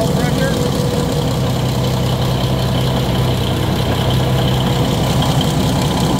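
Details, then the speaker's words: Cummins NT855 Big Cam/N14 diesel after overhead rebuild with rocker install and valve/injector adjustment, first start without turbo connected: even, steady low idle, smooth unbroken rumble, no knocking or misses; good oil pressure, sounds healthy. "got a oil pressure what you got sounds pretty good good oil"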